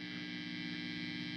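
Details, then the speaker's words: Fender Twin Reverb Reissue '68 Custom after swapping a microphonic JJ preamp tube and repairing the reverb tank coax: steady low hum and hiss, no microphonic ringing even with reverb turned high. "you hear that background hum, we are no longer getting any kind of microphonics. no matter how high our reverb is turned up."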